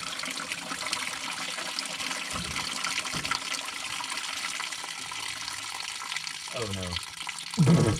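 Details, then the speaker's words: Turbo Ford Ranger engine being filled with water: water splashes and trickles steadily out the back of the engine, a heavy coolant leak from a freeze plug. "uh it is a waterfall towards the back of the engine so it's either the one in the cylinder head or the one on the block"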